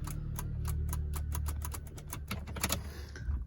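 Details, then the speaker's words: Peugeot 206 with hot engine after a drive, AC cutting out: starter gives sharp irregular clicks but won't crank; battery ruled out, suspected weak starter motor or weak current feed to the starter. "Nah, kasus kayak gini bisa dari motor starter yang pasti ya. Motor starter. Jadi arus yang ke motor starter bisa motor starternya ee lemah, bisa arusnya ke motor starternya yang lemah gitu."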